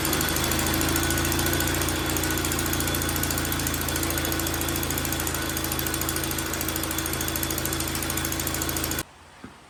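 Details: 1931 Viking Model B twin walk-behind garden tractor engine, running after carburetor tuning and gap adjustment; quick even pulsing about four beats a second holding steady until shutoff, running smoothly; float bowl fuel leak still present.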